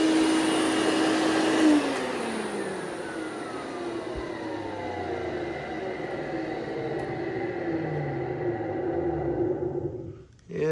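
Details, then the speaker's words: Hoover Celebrity QS Quiet Series vacuum: motor whine falls steadily in pitch on wind-down with a faint rough rumble underneath; bearing noise suspected. "it sounds like we got a little bearing noise going on so uh I'll have to open this up later and uh check that out"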